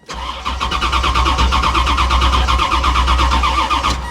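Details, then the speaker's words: C4 Chevrolet Corvette at a salvage auction, fuel pump heard priming, on a booster pack, suspected sabotaged: steady starter churn with even compression pulses about three a second, never catching; cranks well but won't start, cause unknown. "yeah i mean she sounds like she cranks pretty good though"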